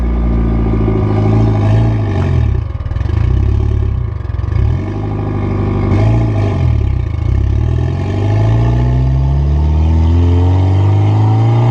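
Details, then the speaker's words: Mitsubishi Evo driven after brake squeal fix by sanding the rotors: low engine note rising and falling while driving, no brake squeal. "so just took the car for drive and by the sounds of it we got it fixed"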